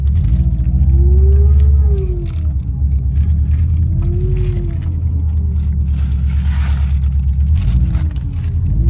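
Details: 2003 Subaru Impreza WRX GDA, EJ205 engine, 5-speed manual, 148,345 km: low engine drone with a wavering squeal-like tone over it. Source of the abnormal noise is unknown, pending teardown.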